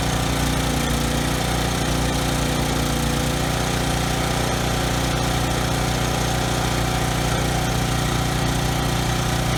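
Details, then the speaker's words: Briggs & Stratton generator engine after carburetor cleaning and governor tab bent to raise no-load speed toward 61 Hz: steady, even low drone, no surging or stutter at no load; earlier stutter resolved, sounds healthy. "okay good that actually ran better than I thought you know the carburetor looks pretty clean so I didn't think that no load kind of engine stutter was gonna be resolved by cleaning the carburetor but it definitely was resolved you know the engine sounds perfect now"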